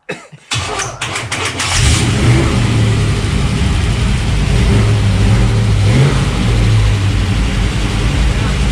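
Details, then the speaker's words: 1952 Ford F1 field-find truck with a Chevy 350 V8, first start: brief crank, catches, and settles into a steady, deep, even idle with no knocks or misses; healthy. "don't need that uh so everything's hooked up uh as it it runs it's it's idling now"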